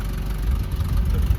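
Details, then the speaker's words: 2005 Honda Civic 1.7L, sat two years, stalls when throttle applied, idling on old fuel with Marvel Mystery Oil added: low uneven lumpy idle, occasional misfire on a cylinder; rough idle, cause not yet known. "sounds like it's missing on a cylinder every once in a while all right so it's still running a little little rough"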